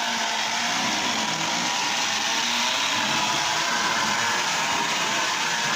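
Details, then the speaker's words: Restored Lionel tie-jector running again: constant high-pitched buzzing whir holding steady; gear noise, owner thinks from the oiled nylon gears and plans a little grease to quiet it. "I think I can quiet those down just a little bit. Um, I think that's those nylon gears and they're oiled. Uh, but I think if I put just a little bit of grease, just a little bit of grease uh down on them, that will help uh with that noise, that gear noise."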